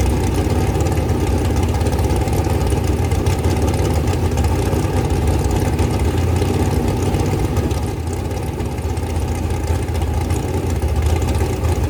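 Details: Rebuilt 426 Gen 2 Hemi crate engine (new heads, intake, pistons) on a run stand, flat-tappet cam break-in at 32° timing, kept under 2,800 rpm: fast, steady, deep even rumble, no valvetrain ticking or knocking; normal high idle.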